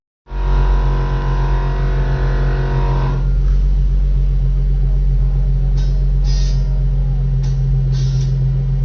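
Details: Air Lift Performance air suspension after warranty replacement of faulty manifold (old one unresponsive, wouldn't air up rear passenger bag, no leaks): steady low compressor drone settling after three seconds, short hissy valve bursts; airs up normally.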